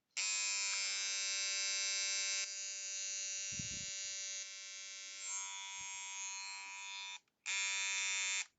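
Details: Nikon P900 camera on power-up: loud, shrill buzzing grind that runs for seconds, cuts out, then returns; a broken gear in the lens zoom gearbox is jamming the drive.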